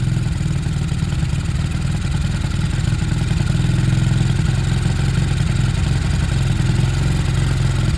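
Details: Sinnis Harrier after a Hanway carb conversion, choke off, on a temporary fuel setup that is running out of fuel. A steady low putter at idle with a slightly uneven beat but no misses or knocks; the little single settles and runs cleanly at a nice idle.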